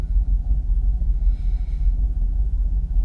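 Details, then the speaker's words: Jaguar XKR (X100) V8 after a hard reset, connector cleaning and fully charged battery: low, steady warm idle at about 650–700 rpm, no warnings, no longer fluctuating or stalling; smooth, even idle. "So we're still idling. What's that? 650? Maybe 700? No warnings. Staying steady as a rock. Not fluctuating like it was before."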